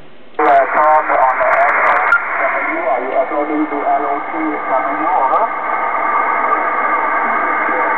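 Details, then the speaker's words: Kenwood TS-2000 HF transceiver on 15 m upper sideband with built-in noise reduction on: hiss removed but voice comes through warbly, watery and metallic; noise reduction garbling received audio. "now I'm going to show you how a little good the noise reduction on this radio does makes the signals garbled and hard to read"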